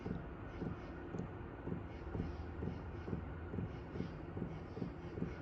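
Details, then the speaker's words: New 2025 Hcalory Toolbox diesel air heater on 12 V battery, first run; soft even ticking about twice a second from the fuel pump over a quiet fan hum, normal and very quiet operation. "So, I've got the heater running and I can hear it clicking um from the fuel pump, but it's pretty quiet."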